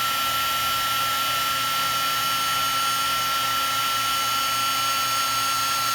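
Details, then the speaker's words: Heat gun used for heat shrink: a steady high whirr with a thin constant whine and a rough, scratchy grinding edge. The owner suspects the fan is rubbing. "That doesn't sound that great. It's just hear a little bit of a grinding sound."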